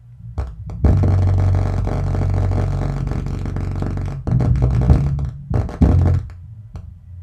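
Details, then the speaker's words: Miller and Kreisel MX-125 amplifier with a customer complaint of distorted sound and hum/buzz, after cleaning the pots: deep bass notes sound rough and buzzy and break up in bursts. Bass distortion. "so yeah I definitely got a lot of bass Distortion going on"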